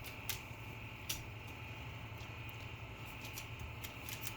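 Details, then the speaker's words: HP Compaq 6300 small form factor PC with pet hair, dirt and dust clogging the air intake: a steady fan hum and whir with irregular scratchy ticks and faint grinding, which the owner attributes to the PC being extremely dirty. "So as you can see here, we have pet hair, dirt, and dust in the air intake on the PC. And you can also hear an odd sound in the background, like a grinding noise."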